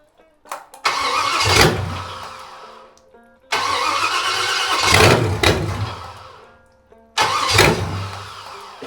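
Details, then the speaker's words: '73 350 Chevy with big cam and fuelie heads, timing just corrected: three cranking bursts of a few seconds, starter turns steadily but it never fires; owner suspects it's out of gas or the battery is getting dead. "Like I say, I may be out of gas. Yeah, you dry the bone."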